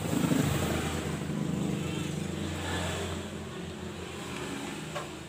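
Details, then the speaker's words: Miyako mixer after repair, previously rough-sounding and turning unevenly, old gear replaced with new one: steady, even motor hum with low drone, no grinding or catching as it winds down; runs smoothly. "Alhamdulillah, ternyata putarannya sudah lancar dan suaranya pun sudah halus kembali."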